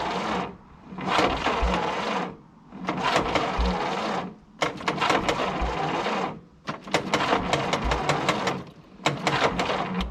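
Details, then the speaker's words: 1951 Willys CJ3A Jeep, off the road since last tagged in 1969, on a weak 6-volt battery: repeated short cranking bursts with pauses, no catch. It popped once; owner suspects flooding and weak spark. Cranks, no start. "I think we might have flooded it. She doesn't have very strong spark."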